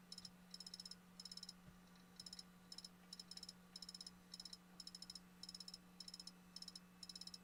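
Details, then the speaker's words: Failing hard drive in a laptop: faint rapid high ticking in short bursts, roughly two per second, over a low hum; Windows reports the physical drive is not accessible. "And it says still can't access the drive. Physical drive is not accessible."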